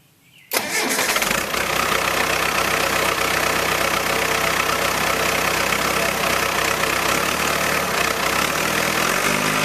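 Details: 1966 Allis Chalmers HD4 with rebuilt 1985 Gleaner F2 433IT combine diesel engine: starts at once and settles into a steady, even diesel clatter with no misses or knocks; healthy idle.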